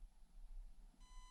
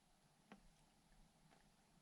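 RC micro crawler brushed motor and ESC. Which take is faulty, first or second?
first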